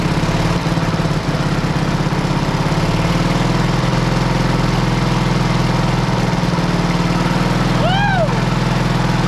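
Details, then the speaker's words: Road grader's four-cylinder pony engine, about 30°F morning, after freeing a stuck-open valve and correcting swapped magneto wires (was firing on exhaust stroke): steady even chugging at fast idle, no misses; normal running. "so it was actually firing on the exhaust stroke of the four cylinder so once I switch them it popped right off"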